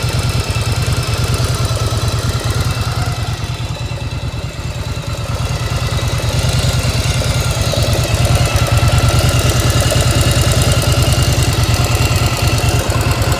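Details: 1995 Yamaha XV1100 V-twin, engine warm, choke off: deep loping idle with a regular metallic clank about three times a second on each beat; owner asks whether it is normal, cause unclear.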